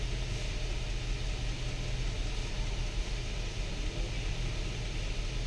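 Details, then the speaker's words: Nissan Patrol that misfires and stalls when braking or slowing: lumpy, uneven idle with irregular stumbles. A scan tool shows three cylinders misfiring. "यह वाले हमारे दो cylinder miss fire कर रहे हैं यह भी मिस फायर कर रहा है तीन सिलेंडर हमारे मिस फायर कर रहे हैं"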